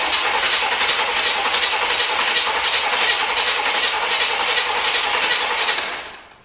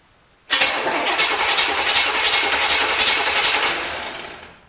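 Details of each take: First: 1973 Corvette bought on eBay, fuel in carburetor, spark being tested: steady cranking near 160 per minute with a sharp hiss, never catches; vacuum ports closed, owner suspects firing order, no compression or lost spark. Cranks but won't start. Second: 1973 Corvette engine, starter jumped directly from battery before checking ignition: even, steady cranking about three and a half beats a second for four seconds, no grinding or slipping; starter turns engine normally.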